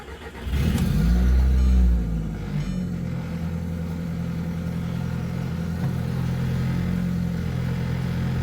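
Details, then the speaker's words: Audi TT after replacing blown 24-year-old stock engine mounts with DIY polyurethane mounts: engine catches, revs, settles to steady idle with slightly heavier low drone and more vibration, not bad once idled down. Normal idle with stiffer mounts. "There is definitely some more vibration going on. There's no doubt about that."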